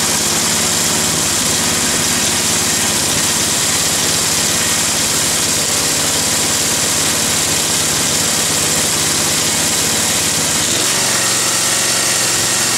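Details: Roadside-salvaged Nautac mower with Quantum XM single-cylinder engine in poor condition: steady high-speed buzz with rattling, shaking edge, vibrating hard; owner blames the rusted, weakened deck and a probably unbalanced blade.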